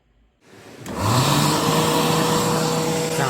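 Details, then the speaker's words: Hand dryer, model A made after production moved to China, lasts only a few years: spins up with rough harsh roar and wavering hum underneath; sounds like a worn-out motor. "the reliability of these become absolutely awful to the point that they would only last a four a few years before sounding"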